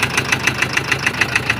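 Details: Massey Ferguson 460 Xtra tractor with Perkins 1104 diesel at steady idle: sharp, even internal knock about seven times a second; tractor also has an overheating problem; knock cause not yet pinned down.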